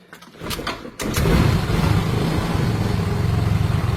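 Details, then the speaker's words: Yamaha Mio M3 scooter after its shorted starter relay was fixed by tapping it, so it no longer cranks by itself: short crank, catches at once and settles to an even idle, keeps running with the jumper removed; normal start. "Nah, motor sudah hidup, Guys. Kita cabut. Nah, dia hidup. Ketika dicabut pun sudah hidup, dia."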